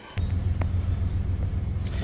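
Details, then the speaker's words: Nissan Xterra 3.3 V6 starting right up and settling into a steady low idle with a few clicks, no check engine light yet, after head reinstalled and new fuel injectors while chasing bank 2 running rich. "as you can see it starts right up we don't have any check engines light yet on"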